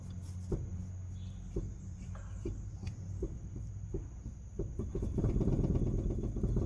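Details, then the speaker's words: Renault Sandero with wheel rocked in and out: dull irregular knocks about three a second from worn inner tie rod joint with play, louder on the ground under car weight; hydraulic steering rack also leaking oil. "no buraco faz esse barulho com o carro no chão faz mais pessoal porque daí tá o peso do carro entendeu"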